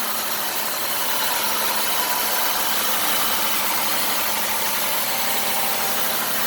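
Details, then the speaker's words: 2008 Ford Escape Limited recorded with the hood open: a steady, even idle with a lot of hiss, no knocking, no uneven beat and no alarming vibration; normal idle. "all right starting up the escape sounds good don't hear any knocking"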